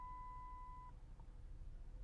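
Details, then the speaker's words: Dodge Intrepid idling on a warm day, stumbling below about 700 rpm with the check engine light on: a single clear mid-pitched beep of about a second, the low washer fluid warning chime. "the beeping again a couple of our beeps so the warning light warning beeps and there's a the washer fluid levels lower"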